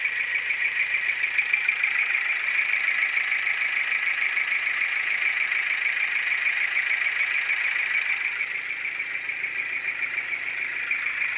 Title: Стук двигателя Форд Фокус 2 1.6 100л.с. ч5